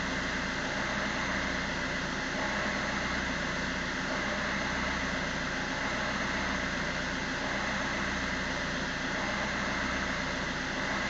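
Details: Fiat Punto 1.3 Multijet diesel at idle after EGR valve replacement: rough, uneven idle with RPM heavily hunting and surging along with engine noise.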